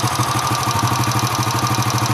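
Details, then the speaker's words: Honda Astrea Impressa motorcycle (C100/Grand-type engine) warm at idle, engine near 60°C: a fast, even light ticking rides over the thump and grows louder as it heats and with throttle; exact cause not pinned down. "Kalau kita ngecek ini sudah mulai muncul suaranya ada kan itik itik itik noh sekarang berapa nilainya 60 di 60 sudah muncul"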